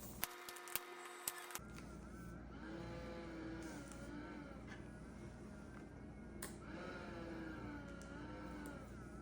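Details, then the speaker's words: ResMed AirSense 10 CPAP: thin whine rising and wavering with each inhalation through the mask, from the worn blower motor; replacing the motor fixed it. "so this is a ResMed air sense tin and it's got a problem where it's kind of whining whenever I put my mask on"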